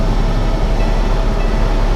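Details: Cummins ISX15 truck diesel started dead cold in neutral right after an oil and fuel filter change, filters not pre-filled: deep even rumble with steady beat, no knocks or misses, good oil pressure.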